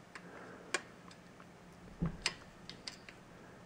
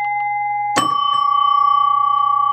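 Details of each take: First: 1967 Williams Magic City electromechanical pinball, stored in a house 20+ years: score reel advances very slowly, faint widely spaced uneven ticks; owner unsure whether springs are weak or the mechanism needs opening and cleaning. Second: 1967 Williams Magic City electromechanical pinball after fitting new replacement coils in the big bell and small bells: one crisp bell strike with clean sustained ringing over a low hum, loud; chimes working normally.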